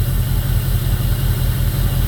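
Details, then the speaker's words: 2002 Jeep Grand Cherokee 4.7 HO with melting coils: steady V8 idle with a lumpy beat, running on seven cylinders as the replugged coil isn't picked up. "she's still only running on seven cylinders."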